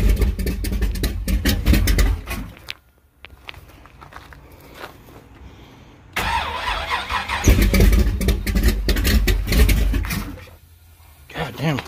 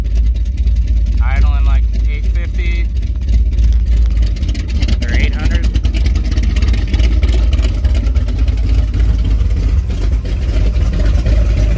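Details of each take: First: Thumpr-cam 454 big-block Firebird at its first start in two months: lumpy V8 fires, runs rough, dies and refires; distributor was pulled back to remove timing, leaving idle too low. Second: 454 big block with a Thumpr cam in a Firebird, first start in about two months; timing pulled back and idle raised, good oil pressure, temperature not yet at 160. A deep, uneven loping thump at steady idle with music over it: a normal lopey cam idle.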